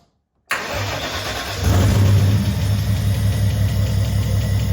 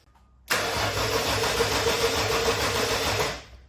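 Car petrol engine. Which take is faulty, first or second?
first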